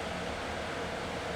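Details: B&Q 7-litre digital air cooler after repair, run at speed three: steady, even airy rush with no rubbing or rattle at constant speed. The fan runs smoothly and sounds healthy.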